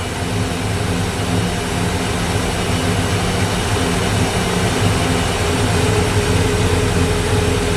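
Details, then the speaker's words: 1964 Ford Fairlane V8 with a large cam, fitted with an old Busch Series race carburetor: fast steady idle, probably over a thousand rpm, even with the idle screw fully down. The secondary throttle blades are open too far. "what we run into there was that this thing's Island way too high even with the uh idle screw turned all the way down it was still idling probably over a th"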